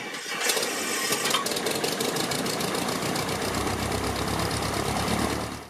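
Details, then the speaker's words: 1969 Cessna 172K with factory remanufactured Lycoming O-360-E2D 150 hp engine, recently near-complete overhaul, cylinders honed, good compression: a few starter turns, then fires promptly and settles into an even, steady run before shutdown; normal start. "It's a very clean engine with no leaks and runs very smooth. All other parts of the engine are also in very good condition. Let's take a listen and see just how easy it starts."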